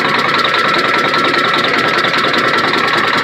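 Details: Freightliner FLD120 with Detroit Diesel Series 60 11.1, hard cold start with bad injectors, at idle without throttle: sharp regular knocking about 2.5 per second over the idle; owner suspects sticking valves, not confirmed; engine knock at idle.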